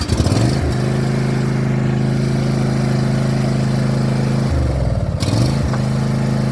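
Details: Commercially used John Deere box-store zero-turn mower, blades engaged: rough, wavering rumble with an intermittent surging beat and vibration absent until blades start; one blade had been fitted upside down, bad spindle suspected.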